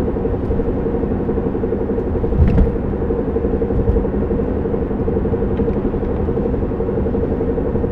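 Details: 1993 Honda Civic EX coupe while driving: constant low drone with faint steady hum over road rumble, described as knock and scrape mixed; owner suspects a bad wheel bearing, unconfirmed.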